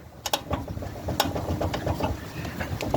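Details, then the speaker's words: Older GMC truck, front end jacked up, chasing a front-end clunk: scattered, uneven clicks and dull clunks with no steady rhythm; owner believes the steering box or its shaft has play from age, louder when driving off a driveway. "It is the steering box. I believe it's the steering box or the shaft that goes to it. It's right right there. And you can you can hear it. It's got play in it, and that's probably due to its age."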